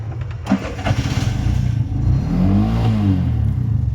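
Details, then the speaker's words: Bajaj BS6 cranks, catches and rumbles unevenly with surging revs, won't hold idle and shuts off; caused by a stepper motor wiring problem; stalling at idle. "ಸಿದ್ದೊಂದು ಗಾಡಿ ಏನು ಅಂದರೆ ತೊಂದರೆ, ಐಡ್ಲಿಂಗು ನಿಲ್ಲಲ್ಲ, of ಆಗುತ್ತೆ ಗಾಡಿ."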